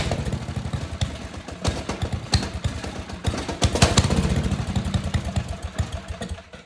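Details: Restored Tecumseh 12 hp single-cylinder engine, primed, half choke, air filter off, jetting still unfinished: uneven, loping beat that surges and sags; runs but still needs carburettor tuning.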